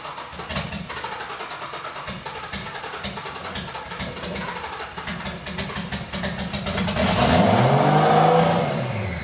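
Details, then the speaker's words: Turbo Nissan GT-R RB26 engine with drive-by-wire individual throttle bodies, swapped into a Datsun 240Z, first start with no exhaust fitted: several seconds of cranking with even rapid ticks, then catches and roars very loud as revs sweep; healthy. "it's obviously going to be really loud because we don't have an exhaust yet but um let's see if it goes"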